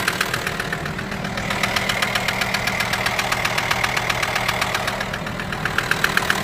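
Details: VW T5 with AXD diesel engine at steady idle: a persistent sharp, even mechanical knock about four times a second. A mysterious noise whose source is still unknown.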